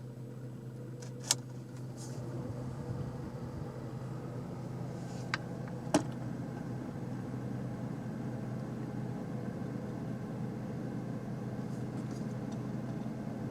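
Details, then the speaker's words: Toyota Camry after battery disconnect and idle relearn, stopped after a drive with AC switched on then off: quiet even idle, no hunting or stumble, a couple of light clicks; idle holds steady, like new. "ac off just like new and that's how you fix an idle problem after you've disconnected or removed and replaced your battery"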